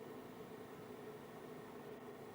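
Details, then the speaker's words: KROAK TB2 8 kW diesel parking heater just switched on in a workshop at 9.8 degrees: quiet, steady airy whoosh with a faint even hum as the fan draws room air in the front and blows it out the other side; normal. "What you're hearing now is the fan, which draws in the room air from the front and blows it out again on the other side."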